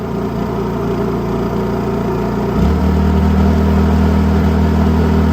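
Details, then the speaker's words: Honda EU32i fuel-injected generator on its first start, which started easily, running with no load: a steady, even idle hum that settles lower and smoother partway through, no knocks or misses. Normal, healthy idle. "Turn it to on. That's pretty fast. It started really easily."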